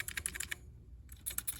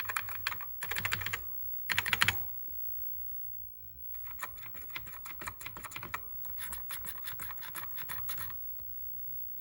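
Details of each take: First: Commodore SX-64 keyboard: one key gives quick, crisp clicks in two short bursts with no drawn-out squeak, a normal key action, compared with a badly squeaking key. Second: Commodore SX-64 keyboard, possibly after a new membrane was fitted: keys tapped in quick bursts give a dry, scratchy rasp instead of a clean click, a scratchy key action that can be fixed.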